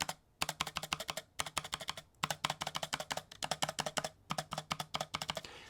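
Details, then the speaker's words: Logitech MX Mini mechanical keyboard for Mac: rapid keystroke bursts with a hollow rattly clack on large keys, especially the space bar, from stabilizers lacking lubricant where metal meets plastic. "hopefully you can hear the rattle in the recording um typically when a stabilizer rattles like that it's because there's not enough lubricant on the metal piece that connects to the plastic pieces"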